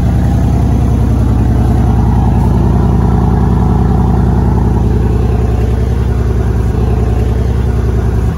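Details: 2014 Mercedes W212 E63 AMG after replacing the stock air filters with oiled K&N filters: clean start settling into a deep, even idle, steady low pulse, no misses or knocks; nice induction sound.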